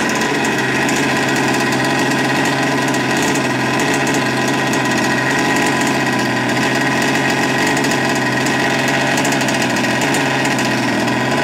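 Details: Cold start of a 57cc twin (RCMK CR600B converted to OBR full mod), newly built: steady, slightly burbly buzzy idle, angrier sound; running rich, still needs running in and carb fine tuning.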